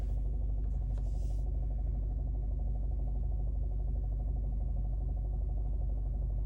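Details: 2011 Alfa Romeo Giulietta 1.4 TB Lusso, heard in the cabin at idle: deep droning rumble with a steady low throb about three a second; strange engine sound, source unclear.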